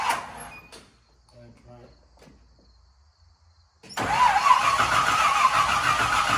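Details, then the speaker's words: 1968 Chevy K10 pickup with a swapped-in 327 V8, first start attempt with 12 volts confirmed at the coil: after a pause the starter turns the engine with a sluggish, steady churn of three to four pulses a second; slow cranking from a low battery. "okay we're getting the correct voltage coming here and it turned over but the battery's a little low I'll probably use a charge"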